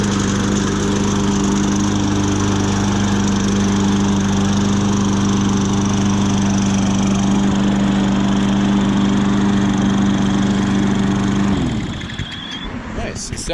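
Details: Toro push mower that wouldn't start, first start after repair, not choked: steady, even drone holding constant speed for about eleven seconds with no surging or missing, then a clean shut-off. Running normally.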